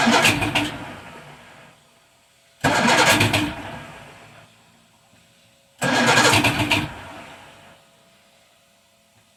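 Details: Evinrude 150 outboard on a 23 ft cabin boat, cold start with choke, no throttle: three separate one-second cranking bursts, turning over but never catching; hard cold starting, cause not confirmed.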